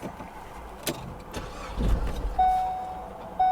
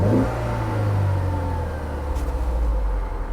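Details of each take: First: Auction vehicle at IAA Oklahoma City with crash damage to frame rail and scraped transaxle: short crank catches briefly, then engine dies leaving only a dash chime; starts then stalls, then restarts. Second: Auction car at IAA Oklahoma City, under 100,000 miles, CV axle ripped off, transmission in neutral: smooth even drone rising and settling with throttle, no knocks or rattles; engine seems to run well.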